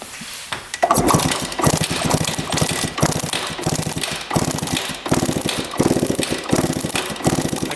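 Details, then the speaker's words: 1993 or 1994 Suzuki RM125 two-stroke dirt bike, freshly rebuilt: repeated kicks give short cranking bursts but it never catches; owner suspects flooding/too rich from the carb after compression testing, then found spark lost. Kick-start no-start. "well at least of the first 10 kicks we had nothing it's weird so now we just lost spark"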